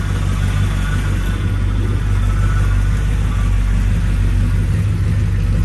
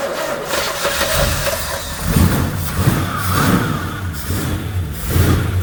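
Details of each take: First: 1966 Chevy Impala V8, heard at the rear exhaust, first run after sitting about 24 years, with low power steering fluid: deep, steady, unbroken idle rumble; sounds healthy. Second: 1966 Chevy Impala V8, sat about 24 years, first runs at rough idle: thin whine rising briefly over the engine from the power steering pump, fluid found low.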